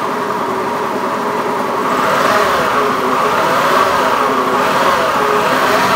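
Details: Honda Beat FI eSP eco scooter with a rough, coarse-sounding engine, cause being analysed: revving with a coarse, uneven buzz and a rough rasp over the exhaust note; roughness present, cause not clear.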